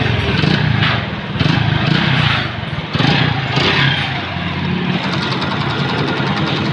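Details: Honda Pridor motorcycle burning oil and smoking despite a recent timing chain: engine blipped up and down with hollow, rough knocking that follows revs; piston slap, before piston ring and cylinder head overhaul.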